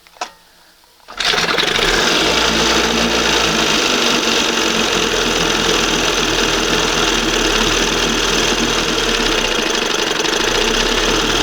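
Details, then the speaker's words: 1971 Johnson 20 hp outboard fitted with a different, side-adjustable carburetor after the OMC primer pump failed: catches after a second and settles into a steady, even buzzing idle, throttle at the number one position, with no misses or surging. "I like that. It's right at number one now. That sounds good."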